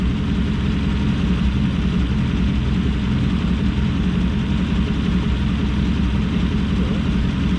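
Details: Toyota LN106 Hilux with 1UZ-FE V8 swap and automatic: deep idle with uneven, lumpy beat; plugs one heat range too cold suspected, misfire on one bank suspected.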